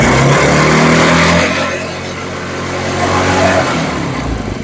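A small single buzzes up through a few revs, then settles back to a steady, even run with no knocks or misses; it sounds healthy.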